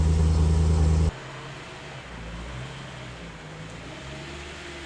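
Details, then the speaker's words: BMW E92 M3 (S65 engine) first drive after replacing holed exhaust manifold (header) that caused limp mode, nine months off road: loud steady engine note then quieter even run, no knocks or ticks; normal running. "9 months of no M3 and we are back. Listen to it. So good. So good."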